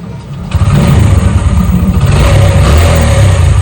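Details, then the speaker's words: Old-model Splendor motorcycle fitted with an ACG starter kit, key on and touch start: quiet start with no starter-motor whine, then the single settles into an even low putter with a light rev; healthy start and idle. "Touch start ಸುಮ್ಮನೆ ನೋಡಿ, ಸ್ವಲ್ಪ ಗಾಡಿ ಚಾವಿ on ಮಾಡಿಬಿಟ್ಟು ಸುಮ್ಮನೆ ನೋಡಿ touch ಮಾಡಿದ್ರೆ start ಆಗುತ್ತೆ."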